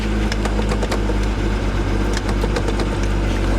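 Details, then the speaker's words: Engine runs but rough on a salvage-auction vehicle just started. Loud uneven idle with irregular thumps and dips in rhythm; service engine light on instantly, stuck in park, cause unknown. "Okay. Well, she's not running well. Service engine light on instantly."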